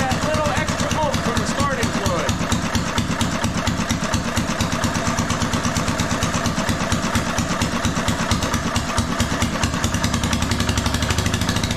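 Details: RamX hydraulic trench compactor with a transplanted military surplus small diesel, just started with ether over the intake, gives sharp, rapid, very loud cracking beats at a fast idle from an open exhaust port with no muffler.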